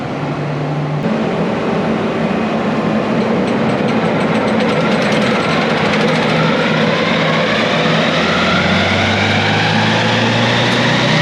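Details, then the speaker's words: Swather cutter bar after repair, with skid shoes bolted on and the hub refitted and timed: a loud, even knife rattle over a steady engine drone that rises slightly. The cutter bar runs smoothly with no knocks and the fix is confirmed. "Well, he's good to go, he's fixed, so I'm gonna go clean up my mess, put my tools away, and I'm gonna end this video right here."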